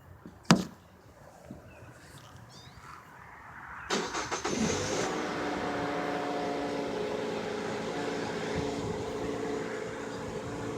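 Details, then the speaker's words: Mazda 6i, noise on startup and whenever given gas: engine settles into a steady droning whir; newly replaced serpentine belt was 2mm too long, bottoming out the tensioner; replacing the tensioner didn't fix it, correct-length belt did. "it's making this weird sound whenever you give it gas um so far um I thought it was the serpentine belt tensioner replaced it it was not"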